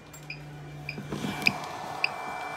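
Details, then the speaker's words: Homemade portable power bank inverter with internal fan running a non-LED bulb, medium draw about 25%; switched to high, sharp chirps repeat about twice a second over the inverter hum: low-battery warning. "As soon as I turn it on high, though, it starts to go to low battery warning."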